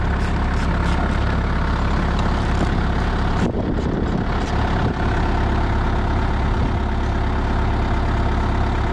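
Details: Used Moffett truck-mounted forklift diesel that won't shut off: steady low idle chugging evenly with no fade after battery disconnected; engine keeps running, cause unknown.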